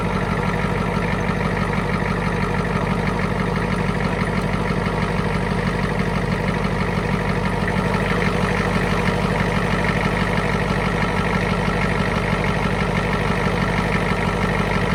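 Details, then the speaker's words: 1991 Ford F350 International IDI diesel after replacing injector return lines: steady idle clatter stumbling as each injector line is cracked to bleed air, bogging then recovering when tightened; cylinder drop while bleeding air from injector line. "so there you have it just track each line until it kind of bogs down and then poting them back up"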